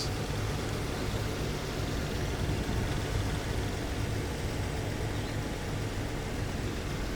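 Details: 2013 Jeep Wrangler JK started after water pump replacement and coolant top-up, checking for leaks while the system still burps; steady, even low rumble, no knocks, ticks or squeal, idle speed stable; normal idle.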